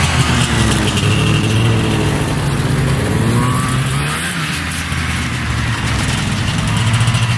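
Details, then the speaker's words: Arctic Cat Panther 440cc two-stroke snowmobile, bought as no-spark non-runner, on test drive after fix: buzzy engine climbing and easing off with throttle, pulling cleanly without misses or stumbles, still smoking; running well. "she's running good running really good still smoking"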